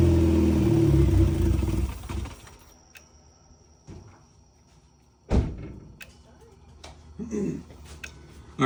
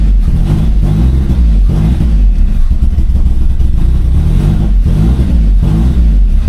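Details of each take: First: Turbo Corolla with a dead battery, started on starter fluid: it runs a couple of seconds, stalls within about five seconds, then falls silent with a few clunks. Stall most likely fuel-related. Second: Turbo Toyota Corolla after fuel pump work, no check engine lights, intake reattached (had been reading wrong when off): low, loud lumpy idle with periodic surges about every second; rough idle still settling.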